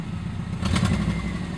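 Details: 1997 Subaru Outback with UEL headers and otherwise stock exhaust: short rev brings sharp puffing bursts over the engine note. Exhaust leak from a header flange at the engine block not tightened properly.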